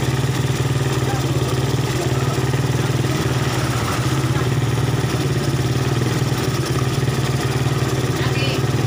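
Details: Suzuki Satria FU single-cylinder after repair of torn vacuum (glued) that caused hesitation, backfiring and no power, with AC holes plugged: steady idle with a firm, even low beat, no misses, pops or backfires; runs normally.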